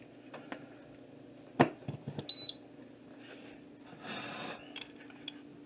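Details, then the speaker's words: Nesco electric pressure canner, lid locked, vent on exhaust: a few short, high electronic beeps as settings are keyed in; normal control panel feedback, nothing wrong. "Then I'm going to do the time. These are pints with meat in them. So it's going to be 75 minutes. I know that beeping is annoying."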